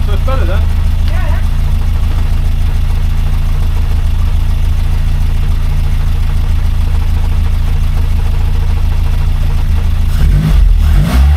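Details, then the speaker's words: Rover P6 after replacing faulty timing chain tensioner, at lowered idle, run briefly without cooling system: smooth, even low idle with no chain chatter or rattle; chain can't be heard at all, engine healthy. "sounds lovely yeah I can't hear the chain to F I can't I can't hear the chain at all"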